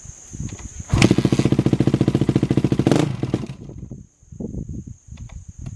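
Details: Honda CRF250R with FMF Powercore exhaust, no known performance mods, temp gauge 80 degrees after sitting two hours, recorded beside a barn wall: short burst of fast crisp exhaust barks around three a second, then quiet; healthy, with slight echo-like rattle off the barn.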